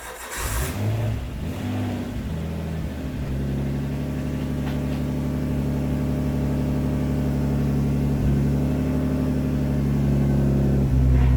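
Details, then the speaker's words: Nissan S14 RB20 cold start after swapping in an RB25 turbo: catches after a short crank, then a low, even drone that slowly climbs; sounds better with no exhaust chatter, though the idle air control valve makes cold running poor. "It sounds good though. Oh, it definitely sounds better."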